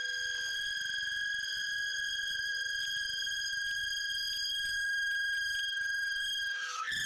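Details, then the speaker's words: Workshop vacuum/chip extractor connected to a 6 m uncut corrugated hose, hose straightened: loud steady high whistle with clear overtones over the motor throughout; everything works but it whistles badly, owner suspects the hose. "вот такой свист он раздаёт ужасный всё работает но сильно свистит сначала испугался потом стало смешно Может это из-за шланга"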